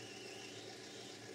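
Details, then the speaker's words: Lathe turning the hexagon end of a brass bar under power traverse to make a gas adapter for a Stuart 504 boiler plant: faint steady high squeak over the spindle hum, a sure sign of a very blunt cutting tool. "is you will hear the squeaking which is a sure sign that you using a blunt cut into a volition"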